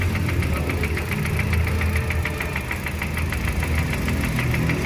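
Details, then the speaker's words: Hyundai Grand i10 petrol Kappa engine at idle: steady tak-tak tapping knock about three per second over smooth idle, from inside the engine; source not yet found, engine being removed for inspection. "यह आवाज है इसके engine के अंदर अब इसका engine निकालते बाहर फिर दिखाते क्या प्रॉब्लम है"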